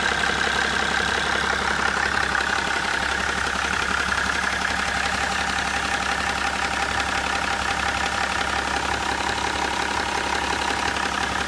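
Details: BMW E61 535d (11/2004) diesel at idle with a fairly regular knock, about three per second, over the clatter at the front of the engine, loudest at intercooler level. Cause unknown.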